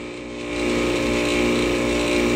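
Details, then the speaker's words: 2004 packaged air conditioner/heat pump, model PA12: loud steady droning hum with harsh buzz and rattling; owner suspects compressor, cause not confirmed. "it was running when it was like 27 degrees out here one time and it was making this god-awful noise"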